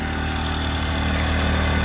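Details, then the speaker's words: New Predator 2000 inverter generator at a rest area, plugged into a camper and powering its lights: a steady, even low drone at constant speed, no hunting, surging or knocks; normal running under load, quieter than the semi trucks. "plugged into the camper real quiet it's actually quieter than the semi trucks i love this generator"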